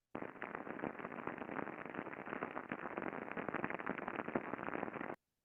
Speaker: very very easy for me to identify that there is something that needs to be addressed here whether it's contamination whether it's lack of lubrication whether it's an early bearing fault